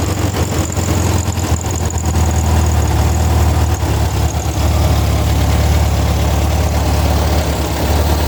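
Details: Air-cooled Volkswagen engine on a test stand with a newly wired and programmed FiTech fuel injection kit: steady, even low rumble with no misses, knocks or ticks; smooth, healthy idle.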